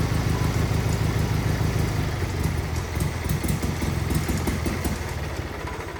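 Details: Wheel Horse 520H garden tractor pulled from a tree row, running on fresh gas from a can: small single-cylinder engine ticking over with a steady, slightly lumpy low thump, no knocks or misses; normal idle.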